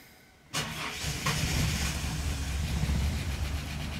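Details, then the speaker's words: Ford EL Falcon Futura, off the road for a few years, that previously took three or four attempts to start. It catches abruptly and keeps running with an uneven, lumpy beat; a possible lifter tap or bearing noise is suspected: hard starting. "oh it's conked out all right I did this the other day took about three or four goes to start"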